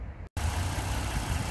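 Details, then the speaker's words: 2009 Ford Mustang 4.0 V6 after thermostat housing replacement and coolant refill: even, smooth low idle after a brief dropout, no knocks, ticks or squeals, no coolant smell; engine healthy. "Engine sounds pretty quiet, not smelling coolant, so I think we got it licked this time."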